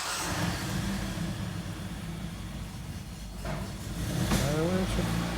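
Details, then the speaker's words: Hyundai ix35 G4NA engine, about 124,800 km, after a rebuild with 0.50 overbore to cure a heavy piston knock, first start with climate control off: a smooth, even idle with no knocking, ticking or extraneous noise. "все заработало такая то по сумочка либо свечечка маленечко перетри его все заработало работает ровно без посторонних шумов"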